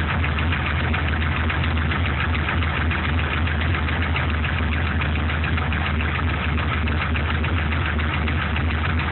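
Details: Truck with LS1 V8 block from a C5 Corvette, warm after 5–8 minutes running: deep idle rumble with a fast, uneven ticking knock; owner suspects piston slap, unconfirmed; runs strong, no leaks or smoke.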